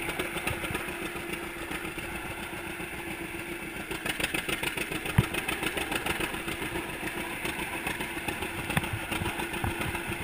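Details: 1942 John Deere Unstyled A conversion, engine formerly stuck, on its first start after new spark plug wires (GoPro in waterproof case): uneven two-cylinder popping idle with clatter, steady and catching well; sounds healthy.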